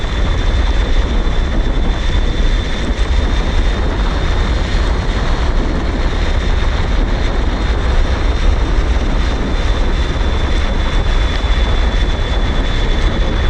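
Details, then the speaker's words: InMotion Climber electric kick scooter with dual 750 W motors, ridden wide open at about 23 mph. Loud wind rush over a thin, steady, turbine-like high whistle near 3.5 kHz from the motors winding up; cause unknown. "I don't know if you could hear that whistling but it uh you can hear it if you're riding the scooter"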